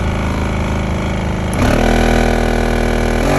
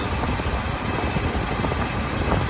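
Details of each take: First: 2009 Smart Car, code P0410, no heat or A/C: loud droning hum with rough tonal buzz stepping up with each fan speed; failing blower motor, replaced. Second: 2009 Smart Car after blower motor replacement (previously loud noises and no heat or A/C, code P0410); steady even whoosh with low hum, no ticking, rubbing or wobble: normal blower fan operation.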